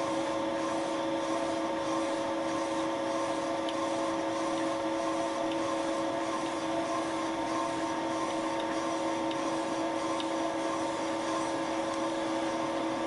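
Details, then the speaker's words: Slightly deeper repeat boring pass with Wohlhaupter UPA5 head on a Thiel Duplex 158 mill, cleaning the molten plastic lawn mower bearing seat; steady spindle whine with light unbroken cutting hiss, no chatter: normal boring cut. "the tool was retracted and the table slightly raised the cut was repeated the slightly deeper boring operation finally cleaned up the bottom of the seat and removed the molten material"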